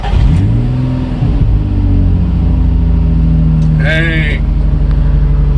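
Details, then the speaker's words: Nissan 350Z started after interior wiring harness cleanup and reinstall: brief crank, catches at once and flares, then drops to a smooth, even idle with no knocks or misfires; healthy start. "that sounded very healthy that sounded really good we must yeah we did the job right guys"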